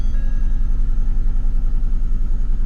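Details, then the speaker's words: Ford Fusion with front deer damage: low idle with an uneven, lumpy pulse of three or four thumps a second, then it smooths out. Misfire at idle; a bad coil is suspected, not confirmed. "why is it misfire it has deer damage but it's not running right oh look oh that's a bad coil"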